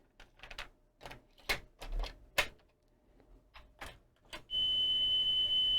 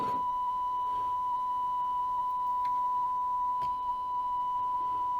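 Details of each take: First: Sony TC-K415 cassette deck after new drive belts, FF/REW motor cog and pinch roller (old hard roller caused flutter): handling clicks, then a clean steady test tone without wavering or dropouts; plays back perfectly. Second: Sony TC-K415 cassette deck playing a 1 kHz test tone, reading 990 Hz and running slightly slow: slight waver in pitch, flutter from a hardened, possibly dented pinch roller that needed replacement.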